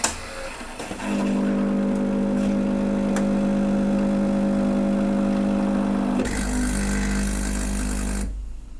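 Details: Saeco Vienna Trevi Chiara coffee machine, reassembled after its doser clicked nonstop at power-on: smooth even grinder hum about five seconds, then deeper steady pump drone; normal grinding and brewing.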